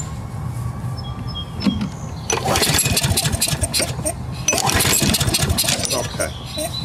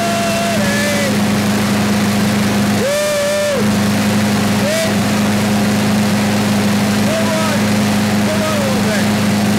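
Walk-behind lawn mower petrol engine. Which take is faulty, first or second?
first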